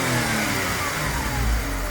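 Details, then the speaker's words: Ford Mondeo ST220 V6 (Mk III) at 100,000 with a K&N air filter, recorded at the rear: smooth, even idle with clean revs, no knocks or ticks; sounds healthy. "And it does sound quite nice actually."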